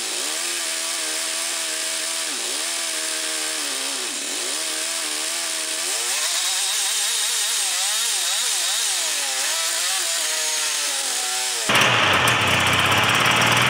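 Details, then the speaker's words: Yamaha Phazer II snowmobile two-stroke, free sled, carbs reset to factory settings, stale fuel replaced, started on a jump pack: the note surges unevenly and won't rev cleanly. The owner suspects it runs on one cylinder and needs plugs. "okay so after Tinker with this thing for about an hour to me it sounds like it's run on one cylinder I think it needs set of plugs"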